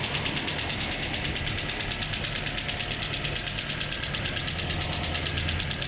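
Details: Toyota 2TR-FE engine being run in after overhaul: even idle with light, regular ticking about three per second over a steady hum, smooth; normal idle.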